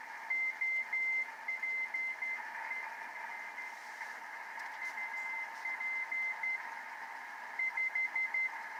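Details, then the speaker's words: 50-year-old Heathkit SB-301 receiver, recapped and resistors replaced, on 40 meters: bursts of keyed CW Morse tones near 2 kHz over soft hiss; receiving but partly working, dirty switch or tube suspected, needs alignment. "but I'm getting CW and the meter is actually bouncing to the noise level"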